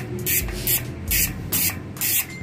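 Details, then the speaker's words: Freshly reassembled Swordhub bicycle freehub, pawls and springs just reinstalled, not yet greased: bursts of fast, dry, crisp even ratchet clicking as the wheel spins, no grinding; normal unlubricated freehub ratchet buzz. "So ayan yung tunog niya guys. Lalagyan ko pa ng konting grasa, wala pang grasa."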